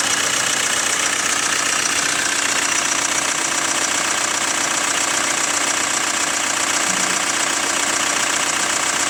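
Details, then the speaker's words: Hyundai ix35 CRDi 136 hp diesel, cold idle after half a day parked at -1°C: light steady clatter, two or three clicks a second; owner suspects hydraulic lifters or chain tensioner, source unconfirmed. "вот прям слышно клацанье. Не так, чтобы очень, но вот слышно. Вот, это пока на холодную."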